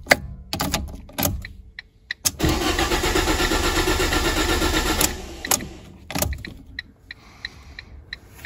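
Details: Ford Ka (2010–2011) after a rear crash: starter cranks the engine at an even rhythm but it never catches, because the crash fuel cut-off system has shut off fuel.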